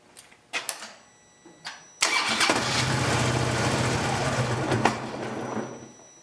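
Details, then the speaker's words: 2008 Harley-Davidson Road Glide V-twin with the fuel pump fuse pulled, run until it dies to relieve fuel pressure before a fuel filter replacement: a few clicks, then it catches, runs unevenly a few seconds and fades out from fuel starvation. "now start the bike and let it run until it dies"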